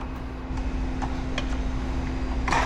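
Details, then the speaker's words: CD009 front-mount shifter relocation with reverse lockout, after a fresh install; crisp clicks as the lever goes through 1st to 6th and reverse, each gear sounding different, 5th/6th gates half the usual throw — normal gear engagement. "5th, 6th, and reverse. And you can clearly hear that audibly. Every gear sounds different."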